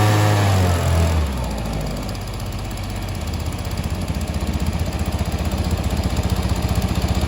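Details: Stihl SH 55 handheld two-stroke blower/vac after tune-up and carb adjustment, with limiter screws exposed for wider adjustment. It settles from a rev into a steady, even idle with a rapid, regular putter and runs cleanly.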